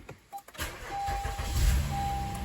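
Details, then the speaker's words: 2016 Honda Accord V6 with faulty battery, after battery had been on charger: starter turns sluggishly with low laboured churn; weak battery causing slow cranking. "it's done worse that wasn't good that's yeah that's cooked all right that was it had been on the charger for a while"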